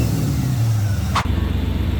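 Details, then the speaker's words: Chevy K10 V8 after the distributor was readjusted several times: it initially had too much advance, and base timing is now set to 16°. An even, steady rumble with no misses or pinging; it is dialed in and running smoothly. "All right, boys. We got her nice and dialed, running good."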